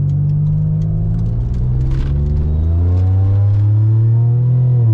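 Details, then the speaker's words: Supercharged Pontiac Bonneville SSEi during hot-day pulls, intake temps 124, boost gauge pegged, bypass valve piping questioned: low droning engine under load, revs creeping up slowly and barely rising despite throttle; engine slow to rev, cause unconfirmed. "Yeah, it seems like there's, in the gearing, it's not even raising RPM really. No, it's not."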